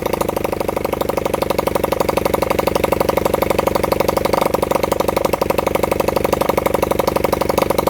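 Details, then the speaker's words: Honda CB100N single-cylinder motorcycle after over 20 years off the road, jump-started from a weak battery; fast idle at about four pulses a second, mostly even with occasional stumbles. Rough running; the owner says the carburettor was in a bad state. "But like I said, I've had it running, not running perfect, but I've had it barking off. The carburetor was in a bad state, but if now it runs, I'd rather just use this engine."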